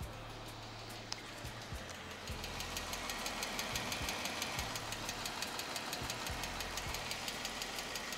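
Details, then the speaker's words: 2015 Jeep Wrangler 3.6L Pentastar V6 idling after about five minutes of running, hood open: sharp, regular tick about three times a second, louder from the passenger-side bank and quieter on the driver's side, from the rocker arms/lifters. "uh so the car been running for about just five minutes now and you can definitely hear that uh knocking sound"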